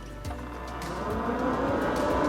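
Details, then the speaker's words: Synology DS1515+ NAS, mic inside the case, PS-on shorted to ground: soft click, then whirring hum building over two seconds as fans spin up normally. "I'm just gonna put the mic inside of the device so you can hear the fans are turning on."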